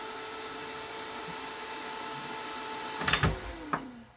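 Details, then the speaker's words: Dell Dimension 9150 (2005–2006, about 20 years old) fan right after teardown and reassembly: a steady, loud whirring at one pitch, then bumps. The owner suspects it is over-spinning because of poor, irreplaceable thermal paste. "and this is what it sounds like I do not know why it sounds like this I think it's over spinning it may be because of the crappy thermal past and the fact that I cannot replace it"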